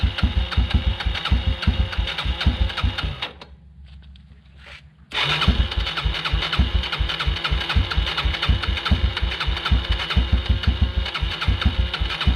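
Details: 1996 Yamaha Timberwolf 250 ATV single-cylinder, after fuel system cleaned and bad gas drained (previously wouldn't stay running): quick steady thumping, short cranking pause, then catches and settles to an even idle; normal running.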